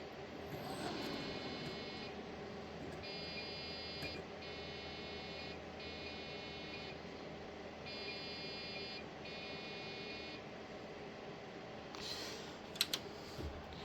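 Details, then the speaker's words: Old floppy-era PC being revived for Windows 95: high POST beeps about a second long repeating in pairs, nothing on screen; suspected RAM problem, possibly too much RAM installed, ran after reducing sticks. "But it's beeping. I think that's RAM. Nothing ever comes up either. So I wondered if maybe there's an issue with the RAM."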